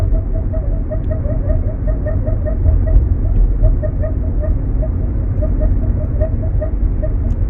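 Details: Nissan Sentra rolling slowly on asphalt: steady low road rumble with a light, regular tick about five or six times a second, seeming to follow wheel rotation; source unknown, owner suspects the front wheels.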